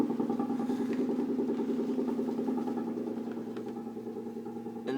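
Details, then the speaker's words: Apartment sink drain: steady low drone with a faint fast pulse, only when the air conditioning is on (set to 76°F). Louder close to the sink and audible in other rooms; owner suspects it is tied to the AC. "so basically that's it that's where the sound comes from only when the AC is on"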